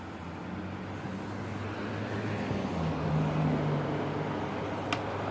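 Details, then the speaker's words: Holmes Blizzard stand fan, dusty, made 2010 or 2001, grill nearly cracked, on low: soft steady hum with even airy whoosh, not loud, no rattles or scraping; runs smoothly while still oscillating. "It's not that loud to be on low. And yeah, it actually still oscillates, which is really, really good."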